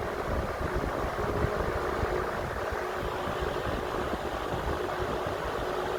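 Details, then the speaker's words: Vintage Emerson 20-inch electric box fan running on high: soft, even airy rush with a faint steady hum and no rattle or wobble; runs smoothly at a steady speed. "that's nice I think light Miss some nice steady speed"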